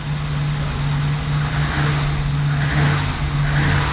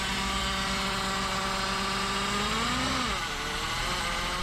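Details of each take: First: 1987 BMW 528e (E28), 4HP22 automatic, after the clogged transmission filter was dealt with: steady, even low drone with a light rise in revs, no whine or clunk; noise gone and it goes into gear faster. Normal transmission operation. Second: 1987 BMW 528e (E28) with 4HP22 automatic transmission, long parked, car bought cheap: steady whine over the engine rises, then sags and drops away with speed; horrendous transmission noise, found to be a clogged transmission filter.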